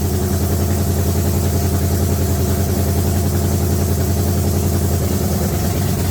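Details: S-10 with freshly swapped engine, no radiator or alternator yet, steady loud idle with a slightly uneven lumpy beat, no clear knock; still needs tuning, timing not set because the timing light isn't working.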